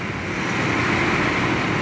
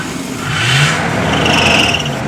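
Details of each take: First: 1977 Ford Camper Special V8 revived after sitting more than two years, warming toward operating temperature: smooth, even idle with a steady exhaust rumble and no ticks or knocks; oil pressure good; running healthy. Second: 1977 Ford Camper Special that sat a few years, with fresh gas and a new battery: sprayed with starting fluid, it catches and revs for about a second, then sags as the fluid runs out.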